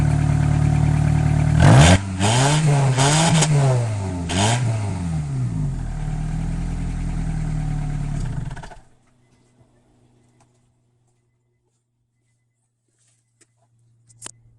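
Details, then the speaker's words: 1998 Honda Accord, throttle blips: loud, raspy low drone swelling with each blip, far too much exhaust noise, as gases escape through a huge rusted-through hole in the muffler instead of the tailpipe. Recorded before muffler replacement. "It's really rusty, huge hole, just rusted completely. Huge hole."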